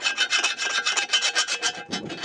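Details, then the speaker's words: Hand-filing the cast-iron mating surface of a worm drive anchor winch housing: quick rasping strokes turn rougher and catchier, the file catching on a raised burr possibly left from electrolysis. "that sound means there's something to deal with"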